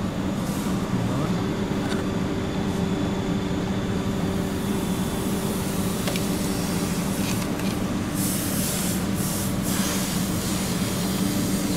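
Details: VW Passat B6 2.0 TDI with whistling and noise near the turbo: during a boost-system pressure test with hoses off the turbo, a steady low hum with breathy hissing of escaping air, traced to a crack in an intake air hose.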